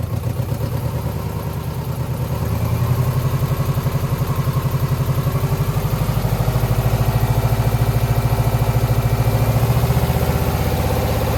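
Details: 2009 Subaru Forester X NA EJ253, remanufactured OEM heads, third start after engine install: low lumpy idle with a regular stumble about twice a second, one cylinder dropping out; owner suspects cylinder 2 misfire from cracked head or water in block.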